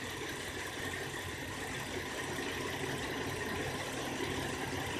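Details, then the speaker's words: 2004 Cadillac CTS 3.6L V6 at 213,000 miles idling: uneven lumpy idle, car shaking; random/multiple misfires mostly cylinder 1 despite new injector, coil, plugs and vacuum leak checks, worse on hot days; cause unknown. "engine is shaking pretty bad let me turn on the air-conditioner and I'll show you generally the whole car is mildly shaking"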